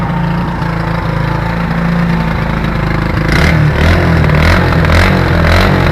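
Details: 1984 SR125 motorcycle revving: exhaust breaks into uneven pops and crackles at high revs, like car anti-lag; high-rev misfire, owner suspects an intake leak.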